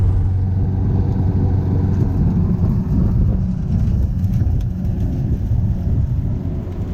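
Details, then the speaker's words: Free Craftsman push mower, after a first-pull cold start: low, steady engine rumble holding under load without stalling or surging; normal running. "first P it's going to start guys that's with the exhaust coal see that is a cold start right there man we're in business"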